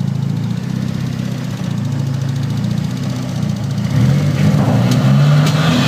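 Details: Nissan SR20DET with stage 3a turbo, Nismo 555 injectors, Z32 AFM and AVCR boost controller that won't rev past 2,500–3,000 rpm, same with MAF plugged or unplugged: low idle drones unevenly, then hunts around a higher speed; irregular idle.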